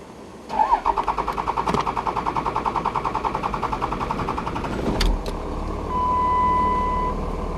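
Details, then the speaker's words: 2006 Dodge Ram Cummins diesel cranking steadily at about three and a half cranks per second for over four seconds. It fires only once rail pressure sensor voltage reaches the 0.8 V threshold; long crank, slow start. "as you can see I had a good crank but it took a while to start and it wouldn't start until it got to that point equal threshold"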